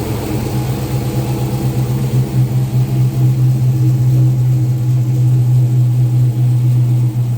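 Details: 2014 Dodge Charger R/T 5.7 Hemi V8, first startup after installing a 6.1 intake manifold, with injectors and fuel rail refitted: deep steady burble, even low drone, no hiss or stumble, a clean healthy idle with no apparent leaks.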